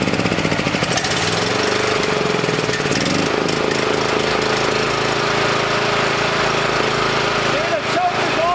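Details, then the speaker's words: Small generator, reassembled, still only running on choke: rough unsteady running that hunts and stumbles, kept going only by carb spray near the intake; dies without it, with an unseen crack in the head suspected of sucking air. "and now it dies it'll only run when i spray carb spray in that corner there so there's another problem deeper into that head there might be a crack in the head that we can't see and it's sucking air through there"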